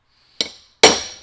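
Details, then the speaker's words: Mack Cruiseliner right front hub, bearing race hammered in with a chisel: two sharp metal blows with a bright, lingering ring instead of a dull thud; race bottomed out solid, confirmed down all the way. "that's solid. Down. Okay. Take a look at this. Yep, we're down all the way."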